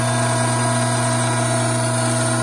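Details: Hydraulic pump cavitating from a restricted, starved inlet: steady pump drone with a rough, gravelly hiss; inlet vacuum rose from 3 to almost 16 inHg with vapor visible in the suction line, system pressure fell from 310 to just over 200 psi, temperature rising from 87 degrees.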